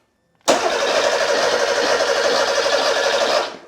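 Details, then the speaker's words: Porsche 911 Carrera 3.2L engine on a test stand, sat a while: starter cranks about three seconds with even whirr but never fires; no spark, no signal from the ECU after DME relay swap, so ECU swap planned. "no no spark there's just no signal coming out of the ecu so i guess i'm just going to swap the ecu"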